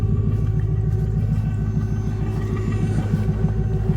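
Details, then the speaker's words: 4th-gen Camaro Z28 V8 at idle, with emissions air devices running that shut off after a few minutes: deep, even burble at about three lumpy pulses a second, steady with no knocks or misses. A healthy normal idle. "It would only have been for type approval. nice sort of V8 rumble."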